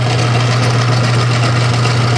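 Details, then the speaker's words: Bent crankshaft from a 1928 Briggs & Stratton Model FH being rebuilt, spun in a lathe chuck: a steady low hum with a heavy shaking drone. The runout wobble is so bad it shakes the whole lathe. "You can see uh how much of a wobble it really is. See, it's actually shaking my whole machine here."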